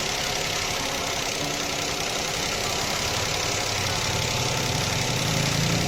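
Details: Toyota engine at idle: uneven, stumbling idle with a hissy top end and a beat that keeps dropping out, with visible smoke; one cylinder misfiring, traced to a damaged ignition coil connector pin.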